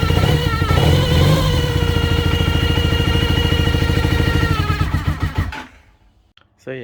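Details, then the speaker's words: 1980 Honda CB400N idling cold with a steady high squeal from the tachometer, despite a brand-new cable; to be fixed by spraying lithium grease into the tach, worn gears possible if that fails. "can clearly tell that it's 100 coming from that taco"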